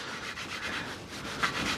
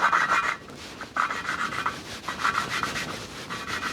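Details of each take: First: Kawasaki ZX9R cylinder head recondition, hand-lapping a valve with coarse grinding paste: the grinding tone changes to smooth, even back-and-forth rubbing with a soft hiss, showing the valve has seated in. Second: Kawasaki ZX9R cylinder head valve lapping with coarse paste: gritty back-and-forth scraping, about two strokes a second, while valve and seat are not yet mated. The tone later changes to smooth once they seat.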